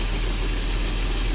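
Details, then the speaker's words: Engine of a BMW just rebuilt after breakdown, running cold before warm-up: steady, even idle with a smooth low hum and no unpleasant bearing noise or rattle; engine sounds healthy. "c'est quand même agréable quand le moteur il ne fait aucun bruit et bien sûr il fait du bruit parce que c'est un moteur mais taipei pas de bruit désagréable de roulement de choses comme ça"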